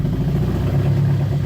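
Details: 1992 Toyota Corolla with muffler removed, just after replacing the ambient air temperature sensor: low, uneven, lumpy idle that now holds without throttle, only slightly better; still rough, cause not yet found.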